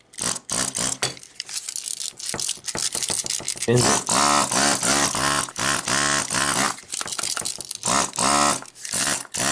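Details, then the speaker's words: Hakko FR-300 desoldering gun that broke during use: bursty, stuttering buzz cutting in and out as if something snags inside; owner suspects the fan is hitting something or something fell into it, with a rattle found inside. "it's definitely catching in there so it sounds like a fan is getting to a reporter or something fell into it"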